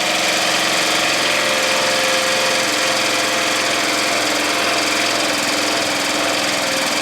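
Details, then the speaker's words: Murray Select lawn tractor after engine swap and muffler crack weld repair: small single-cylinder engine running with steady buzzy exhaust note, no hesitation or surging; normal running. "sounds good doesn't hesitate or surge at all"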